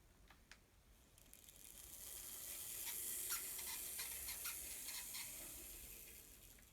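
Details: Fleischmann N-scale model locomotive motor: faint high-pitched whirr swelling and fading with uneven ticking about four times a second, an abnormal motor noise with cause unclear.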